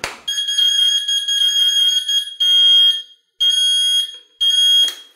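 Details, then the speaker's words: 3-wheel mobility scooter, fully assembled and charged, key just turned on: shrill high beeping repeating about once a second is an error code meaning the drive lever is still in manual freewheel mode, not drive mode. "we get an error code now that fast beeping sounds like this those beeps are telling us something right after that it's easy to miss but it's also easy to fix that's telling us that the device is still in manual freewheel mode it's not in drive mode"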